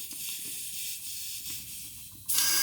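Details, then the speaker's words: Turbo LFX-swapped Volvo 240 wagon under a boost leak test, pressure fed in: continuous airy hiss that jumps louder as pressure rises. Both wastegates are leaking, one suspected past its stem. "there it is keep going so they're both leaking keep going with it"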